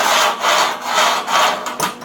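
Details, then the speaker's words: Sliding barn door rails joined with shims, C-clamp and light MIG tack welds, shims removed: repeated smooth rolling back and forth with no click or bump at the joint; seamless transition between the two rail pieces. "So you can hear that. It's there's like seamless transition between the two pieces."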